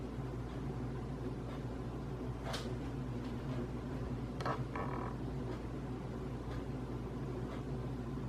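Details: Casablanca Hampshire ceiling fan, about 2007–08 vintage, running in reverse, where it is louder: a steady low hum with a rough, gritty undertone and faint ticks. Blades are tight and no rubbing is seen; the grinding source is unclear.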